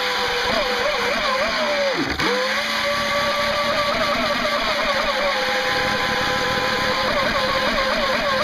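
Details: Electric motor on a NQD November RC jet boat running on 3S: wavering whine over a harsh gritty hiss, slower than before, from rusty motor bearings, since oiled.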